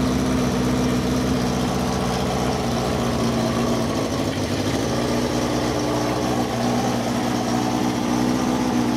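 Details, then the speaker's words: Cafe scrambler project bike running for the first time in 21 years after a carb rebuild and rewiring, silencer insert removed: loud, raw, steady drone with a rough low rasp at idle from the open exhaust. "so silencer type muffler type thing is removed"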